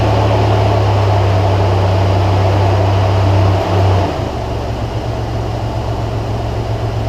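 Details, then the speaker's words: 2003 Toyota Tacoma 3.4 V6 idling after throttle body cleaning and reinstall: steady low hum, now smooth, the previous idle vibration, worst in drive under load, gone; engine mounts had been checked okay. "actually there is a difference I'm actually really really surprised it does run smoother especially when I put it into drive the engines under load it would kind of have this sort of humming sort of vibration and actually gone"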